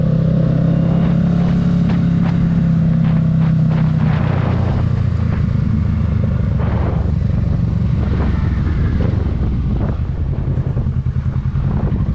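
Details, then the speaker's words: 2022 Kawasaki Ninja 650 riding with windscreen removed: steady engine drone easing off as throttle closes, no buzz or rattle from the front fairing, confirming the windscreen causes the fairing vibration. "so as y'all saw in the video, like I said, no fairing vibration at all with the windscreen off. So we know for a fact that it is for sure the windscreen."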